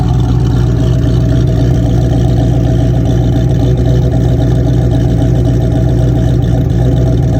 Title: 1987 ford mustang making noise 347stroker kit and brand new engine rebuild by M.C.R.P